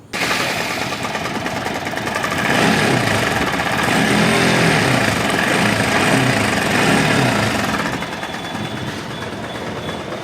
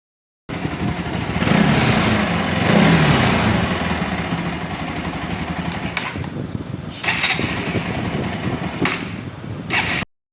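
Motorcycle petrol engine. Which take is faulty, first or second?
first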